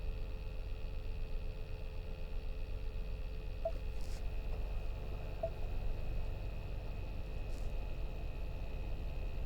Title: New Bronco Sport AC buzzing sound